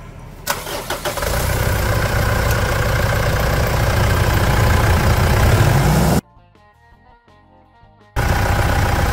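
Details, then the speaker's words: Mitsubishi Triton 3.2 diesel after post-purchase service, blocked breather cleared: quick crank catches within a second and settles into a firm, even idle with no knock; starts and runs healthy. "Ô Diva, vamos escutar essa melodia? Dá a partida lá, vamos escutar essa torrada."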